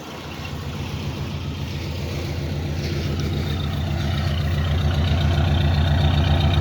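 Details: 1975 AMC Matador Brougham station wagon, 304 V8, just refuelled and started; even, deep V8 burble holding steady and swelling slightly as it settles, no knocks or ticks; normal idle.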